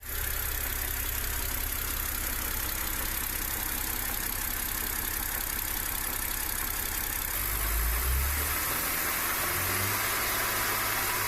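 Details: BMW E90 330i N52B30 petrol inline six idles with a dull, rhythmic knock from underneath, caused by worn/broken connecting rod bearings.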